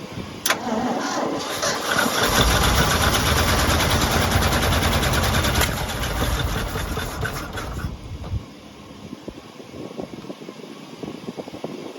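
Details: 1975 Ford F750 ex-firetruck, first start in many years, spark confirmed: catches on a pop with poured-in fuel, runs rough and loud for several seconds then dies; fuel pump not delivering.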